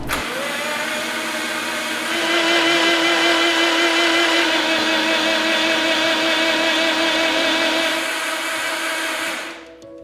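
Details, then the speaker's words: Subaru Forester with newly built forged EJ257, cranked on the OEM starter with spark plugs out to prime oil pressure before first start. Even, fast whirring crank, no compression pulses, steady pitch. Normal oil-priming crank. "Basically, we'll leave the plugs out of the car and crank it over so it doesn't build compression, and it'll actually build oil pressure while cranking it over with the OEM starter."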